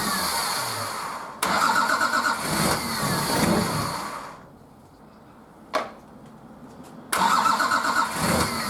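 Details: Nissan Patrol RD28 diesel, first start after injector and pump install, idle over six months: cranks in bursts with pauses, then fires and catches into a rough run after bleeding air from cracked injectors.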